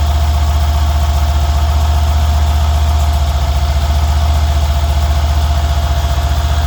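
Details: Mercedes engine (CLS/S/CL/SL/E/GL/ML class) at idle with an even, quick tick of about four per second over the low rumble; engine ticking noise of unknown cause.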